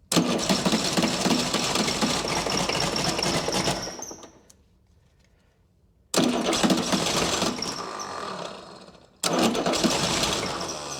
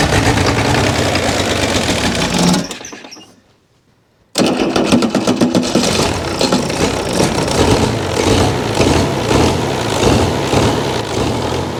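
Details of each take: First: Chrysler diesel (rebranded Mitsubishi 6DS70 marine six), sat years in a barn, first start: runs lumpy, dies, restarts; no fuel yet at sixth injector, so misfiring, and the injectors need cracking loose and re-bleeding. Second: Chrysler diesel (rebranded Mitsubishi 6DS70 marine six), barn-stored for years, after re-bleeding the injectors until fuel reached the sixth: catches after a pause and settles into a steady, even clatter with no misses, running healthy.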